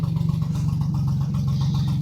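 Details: Mercury/Tohatsu 25 EFI outboard after replacing the VST and reseating a loose connector's pins, fuel pressure 40 PSI: steady low even putter at idle, no skips or surging; running smoothly after no-start.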